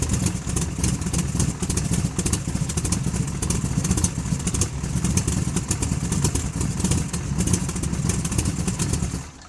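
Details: Chevy 454 big block in a barn-find T-bucket, run with the baffled exhaust tubes on and no torque converter: a deep, muffled V8 rumble with an even beat and no clatter, then it shuts off; runs healthy.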